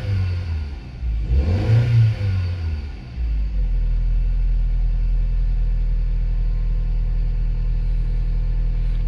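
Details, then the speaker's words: Astra after exhaust repair for an O2 circuit error and engine management light: engine fires, revs briefly, then settles into a smooth, even, low idle with no blowing or rasp; much quieter. "let's give it to start and see what happens so yeah it sounds a lot quieter"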